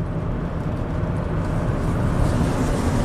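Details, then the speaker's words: 2009 Chevy Traverse V6 GDI, 190,000 miles, previously with misfires on all cylinders and VVT codes, after a fresh oil change. On the test drive, a smooth, even engine and road drone with no clatter or chattering. Cam variance stays below two degrees, so it runs healthy. "we'll take it for a test drive once I put some fresh oil in it I think it should be perfect all right let's see how she drives nice and smooth as expected"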